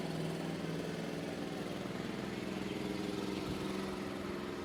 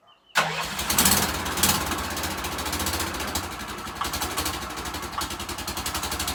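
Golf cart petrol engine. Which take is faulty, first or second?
second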